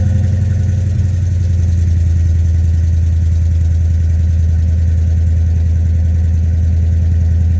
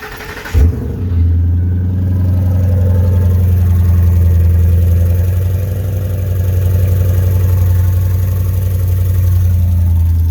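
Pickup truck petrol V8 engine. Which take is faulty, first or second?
second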